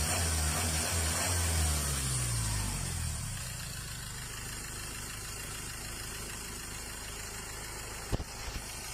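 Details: Mazda BT-50 Pro diesel, towed in with a no-start and low pressure, after repair: revs settle within a few seconds into a steady, even idle with no knocks or misses.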